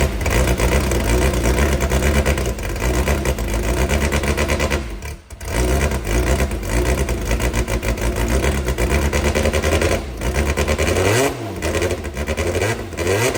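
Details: Brabham BT21 historic one-litre F3 engine, first cold fire-up after rebuild with new crank, balanced conrods and new sump: crisp four-cylinder bark, steady even idle, sharp throttle blips; oil pressure looks good. Normal start and run.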